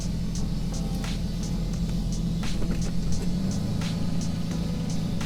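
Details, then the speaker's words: Lexus GS300 (naturally aspirated 2JZ) idling smoothly after misfire repair (coil pack wiring and water fixed); steady even rumble holds when dropped into gear, no stumbles, no dash lights, no longer misfiring. "light never came on it's a parking brake so that's good it ain't misfiring again"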